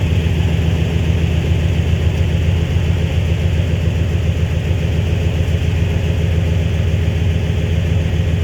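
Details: High-mileage flatbed truck, first short priming startup of a replacement 5.9 Magnum V8 after the old engine knocked: a deep, even idle with a steady, regular beat and no knocks or ticks. Good oil pressure, charging, no check engine light.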